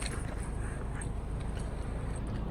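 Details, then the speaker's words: 2017 Toyota RAV4 2.5 running after DIY spark plug replacement, coils refitted with bolts torqued to 8 ft-lb: low steady even rumble, no stumble or skipped beats; normal idle, no misfires. "it sounds good. No misfires. That means we did a good job."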